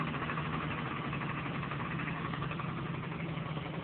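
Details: Honda Dio-2 50cc two-stroke scooter, stock piston, rings and bore, with HHO cell module fitted: even, fast buzzy beat with steady pitch, no misses or knocks; runs smoothly, normal idle.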